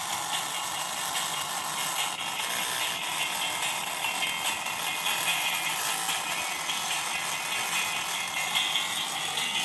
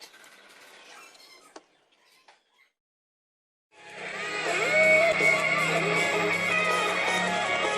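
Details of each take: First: Laptop speakers after a motherboard repair: thin, fizzy, crackling playback with almost no low end and harsh rattle; both speaker cones found torn at their edges. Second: Laptop speaker after the torn diaphragm was patched with double tape: music plays clear with no crackle or buzzing, just thin on bass.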